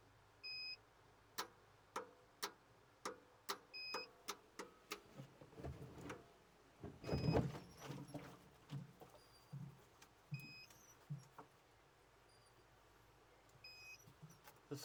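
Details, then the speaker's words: Doosan diesel excavator that had sat a while, no-start: sharp clicks about twice a second as the relay energizes at ignition, but no cranking. The 24 V feed is not reaching the starter solenoid; the relay or solenoid is suspected. "but this sounds like it is energizing it's a distinctive click when the ignition is thrown over"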